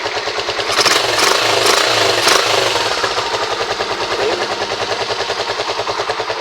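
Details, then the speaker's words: Rusi 125 single-cylinder motorcycle after repair of a noisy, ticking head; kick-started, steady idle about three beats a second with no tapping, valvetrain now healthy and quiet. "At nawala na yung kanyang lagic mga kaya ganun lang mag-ayos ng ating mga motor kapag medyo maingay yung kanyang head."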